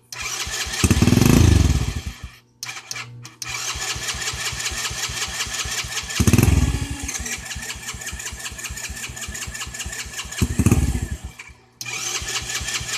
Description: Bogs and shuts off